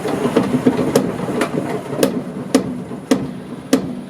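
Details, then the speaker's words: Car drivetrain raced up with wheels spinning: loud, unevenly spaced metallic clanks about every half second come from the drive axles; axle clanking. "the the hell is all that clanking turns out the axles make that noise"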